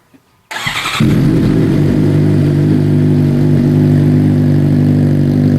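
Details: 2015 Suzuki GSX-R600 first start after installing an M4 full exhaust system: cranks and catches within a second, then settles into a steady, deep, even idle with a clean exhaust note.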